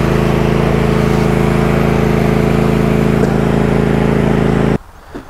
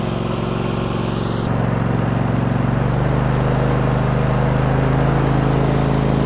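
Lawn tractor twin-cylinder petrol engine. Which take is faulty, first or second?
second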